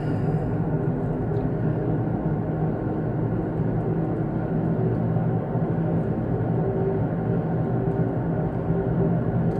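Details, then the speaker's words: Taxi driving: steady low roar under road noise, grinding louder when changing direction and getting worse since the day before; suspected worn right front wheel bearing. "especially when you change directions you can really hear it grinding yeah so"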